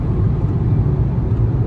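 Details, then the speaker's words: Hyundai engine after reviving a dead cylinder, driving on highway 62, still slightly smoking: deep even rumble under load with road roar, no stumble or misfire, pulls smooth and healthy. "oh yeah she she get up and go she's running real good"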